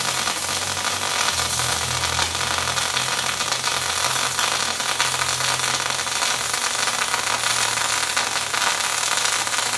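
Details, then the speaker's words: MIG spray transfer with wire feed dropped to 345: a smooth, even hissing arc at constant level with no popping or spatter, a clean stable spray transfer weld. "all right that actually ran really really nicely"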